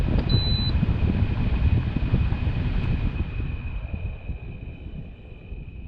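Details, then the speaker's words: LG 8000 BTU room air conditioner fan: a rough, rumbling whir with a thin steady whine, suspected worn motor bearings that are worse on this unit. "You can hear the bearings in there are not doing too well. It's way worse on this one."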